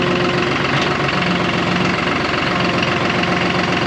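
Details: John Deere 5203 tractor with 512 loader, 740 hours, after an oil and filter change fixed its hydraulic problem with milky oil: steady, even diesel chug at constant idle with no knocks, squeals or hesitation; engine and hydraulics healthy.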